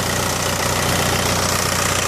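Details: Mk4 VW Golf ALH TDI at 100,000 miles, after repairing and relocating the anti-shudder valve solenoid behind code P3105 rough idle: steady, even diesel clatter with no stumbles or surging. Normal idle.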